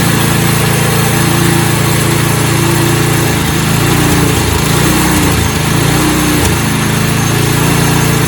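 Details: Snowblower small single-cylinder engine after fuel system and carburetor repair for no-start, choke in middle: steady even beat at constant speed, no misses or surging; normal running.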